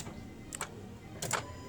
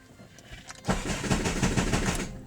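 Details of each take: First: Honda Civic with a flashing key light that cranks but won't start, at key-on with the engine off: two short electric whirs as the throttle body actuates normally. No fuel flows because the immobilizer has disabled the fuel pump. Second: Honda Civic with the key light flashing: the starter spins the engine evenly at about five compression beats a second, but it never fires. Crank, no start; the immobilizer is blocking the start because of a dead key battery.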